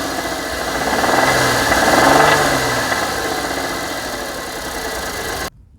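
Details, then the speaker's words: 2007 Ford Edge 3.5L Duratec after a water pump replacement, oil clean. Engine warmed up a minute or two, with steady, hard knocking about four times a second over the idle. Worn rod bearings, rod knock from the bottom end. "I was just hearing nothing but a rod knock in the bottom end and I was so pissed."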